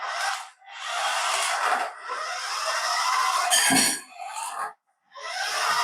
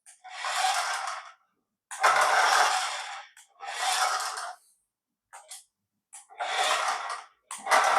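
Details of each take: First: Paladone RC VW Campervan after gearbox fix with spacer washer holding the gear in place: short bursts of high buzzy gear whir as the motor spins up, gears mesh cleanly without skipping; normal drive operation. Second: Paladone RC VW Campervan toy running on the floor: thin, buzzy, gritty chatter in uneven bursts each time the small motor drives, rattling from the plastic gearbox; gears have missing teeth.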